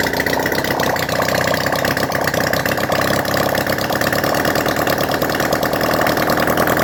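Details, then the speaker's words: Honda CD175 barn-find restoration, engine just refitted with timing set, running without exhaust from leaking fuel bottle: loud raw rapid popping, fairly steady but a bit uneven; stays running, how well unclear. "I'm not too sure how well it's running right now because I need to put on the exhausts, but it does seem to stay running."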